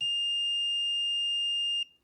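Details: Mitsubishi Evo 6.5 Tommi Makinen Edition, no-start diagnosis: relay bench-tested with 12V across terminals 2 and 4, continuity checked between terminals 1 and 3; clean steady high-pitched tone for about two seconds, then cut off; relay contacts close properly.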